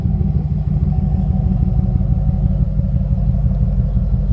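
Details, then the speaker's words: Headhunter V8, usually smooth, idling with an uneven, lumpy beat about three pulses a second and visible shaking, no knocks; rough running from a misfire that began a week earlier, cause unconfirmed. "that's how she sounds listens to the engine see how shaking it's real rough it's not shaking this engine usually smooth it's real smooth usually but it's running rough"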